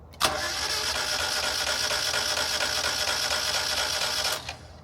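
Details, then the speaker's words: 1992 Mazda Miata, abandoned for months, with a weak battery and no spark, before coil pack replacement: even, rapid cranking with steady compression pulses for about four seconds, but it never starts. "so as you can hear it does kind of sound like it has compression if you know what sound that is making let me know but I noticed it didn't have spark"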